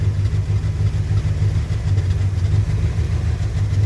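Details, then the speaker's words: 1966 Chrysler New Yorker V8 after sitting 18 years, carb cleaned out: deep, even low burble, steady rhythm, no knocks or misses; idling lovely and quiet on first revival run. "That is fantastic. She's lovely and quiet."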